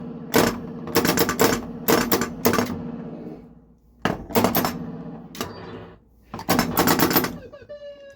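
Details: Bally Frontier pinball after pop bumper switch gaps were set to about 1/16 inch: bursts of sharp solenoid clacks doubling up, as one pop bumper's vibration triggers another. The gap is too close and needs adjusting.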